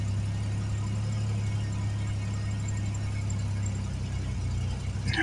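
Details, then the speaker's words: Jeep Liberty KJ after spark plug replacement, cold, idling steady and smooth but fast, just over 1300 rpm. "so it is running nice nice and smooth though really smooth but then again it is at like 11 12 1300 RPMs it's going to f that way yeah just over 1300"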